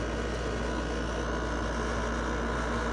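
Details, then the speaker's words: LG window air conditioner on cool at lowest temperature setting: steady, even low hum with smooth fan rush, no rattles or knocks; compressor running normally and air really cold. "But you can hear the fan running, so that's good. It's really cold. Look at that. Compressor's on, so that's good."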